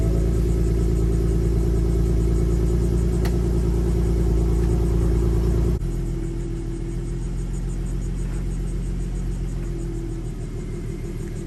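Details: 2015 Mustang V6 with newly installed BBK headers and stock cats and mufflers, first start: steady deep idle rumble, even pulses about four a second, mild throaty burble; runs smooth and healthy.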